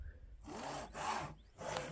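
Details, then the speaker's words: New Ender 3 V3 SE 3D printer at unboxing, foam removed, moved by hand: rough, gritty scraping comes in separate pushes as something drags; the source is unclear and the owner is unsure the noise is real. "sounds awfully loud it's like something's almost like scraping I don't know maybe I'm delusional"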